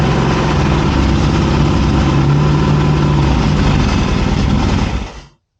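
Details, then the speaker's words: 1981 Yamaha XS650 Special on first startup after a carburetor rebuild, with the choke pulled, catches and runs roughly for about five seconds and then dies abruptly; the old battery is weak. "We did get it to start. Let's see if we can get it to start and run."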